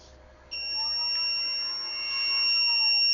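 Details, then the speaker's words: Fluke/Philips PM2812 power supply, blind buy, switched on: a steady, piercing high beep starts half a second in and holds unbroken; likely an overcurrent alarm, unconfirmed, while the fan runs. "yeah over current probably I can try it a little bit more because the ventilator was running so it probably works"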